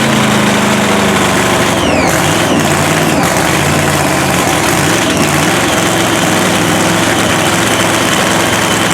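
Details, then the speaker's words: Blown 3,500 HP Hemi drag truck, restarted after an all-night rebuild following a 3-second pass. Catches and settles into a loud, lumpy but steady idle with no misfire stumbles; running cleanly. "Man, how great was that, dude? We got it running."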